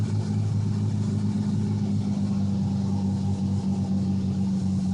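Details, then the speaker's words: Truck in reverse, then neutral, with no throttle: idle rises and hangs high and uneven, then settles to a rough idle. The truck also surges in drive; cause unclear. "this is stopped in reverse this is neutral the truck just revved up for absolutely no reason"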